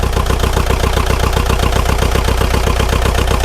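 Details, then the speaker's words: Neglected, frozen Bobcat T595 skid steer diesel at cold idle: rough, lumpy, irregular chug, improving from about 2.5 to 3.5 cylinders firing, steam and unburnt fuel from flooding suspected; misfire on few cylinders. "All right, so we went from 2.5 cylinders to 3 cylinders. Come on. We're running on like 3.5."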